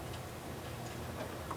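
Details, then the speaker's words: Tein Mono Flex coilovers, three years and about 15k miles: light, irregular metallic ticking as the strut is shaken by hand; the spring top chatters against its perch from play developed over potholes and street driving. "There it is. You can hear it real nice there. Now, all this is is it's basically a a little bit of play that develops over a while of having the coilovers, you know, hitting potholes and, you know, you're driving it in the street."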